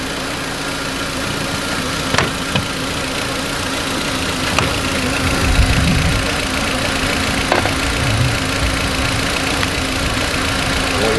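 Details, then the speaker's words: Volkswagen Beetle petrol engine, started cold, idles roughly with a steady low hum and occasional stray thumps from a vacuum leak, with a check engine light and a brake issue; the leak is found by spraying flammable spray on the vacuum fittings. "if you've got a vacuum system in there it's got a check engine light one on your leaking vacuum it's going to give you a rough idle other issues"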